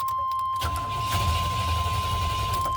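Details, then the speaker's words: 1990 Chevy K1500 5.7L carbureted V8, owner reports crank no start: strong steady starter cranking, engine never fires; after starter fluid it briefly ran then died, proving fuel-related, traced to failed fuel pump. "all right and now it's back to crank no start so because it started up for a quick second and turned back off that proves to me that it's fuel related"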